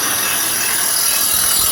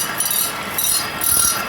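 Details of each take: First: Dual Express grinder sharpening Toro Greensmaster Flex 21 reel, adjusters turned about half an inch each side: steady high hiss of stone on blade with no gaps or chatter, contact even across the reel; normal grinding. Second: Dual Express grinder sharpening the reel of a Toro Greensmaster Flex 21 walking mower, stone just brought into contact: light, patchy scrape that comes and goes, more on one end; the stone is not level.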